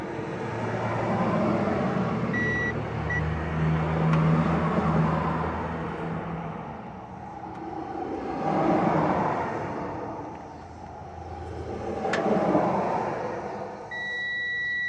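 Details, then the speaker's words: Dryer thermal fuse tested for continuity with a meter: a steady high beep sounds clearly over passing traffic, so the fuse has continuity and is good. "okay that one's making contact very good this one that one's working oh let's do this one again yep I'm working just fine"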